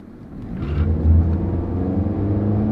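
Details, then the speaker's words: 2011 Nissan Rogue CVT, 138,000 miles, road test under throttle: engine drone climbs then holds one pitch with no shift steps; acceleration not brisk, revs go high and stay as CVT doesn't shift gears. Normal CVT acceleration. "not really brisk acceleration and of course it's a cvt so it doesn't shift gears that's why it went up high and stayed"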